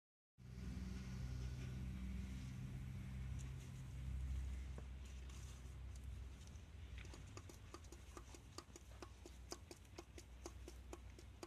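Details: Hyundai G6BA engine running: quiet hum with sharp, fairly regular ticks, about three or four a second; an engine knock of unknown cause.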